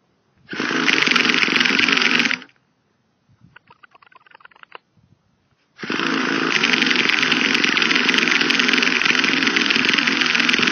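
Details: Used Traxxas T-Maxx 2.5 nitro RC truck: two bursts of high buzzing starter whir, no firing or catching; cranks but won't start, slight smoke from the starter motor.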